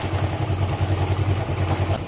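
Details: Suzuki GN125 single-cylinder motorcycle idling before cam chain tensioning (tensioner not fully automatic): quick even metallic clatter over the low thump, a slack timing cam chain rattling.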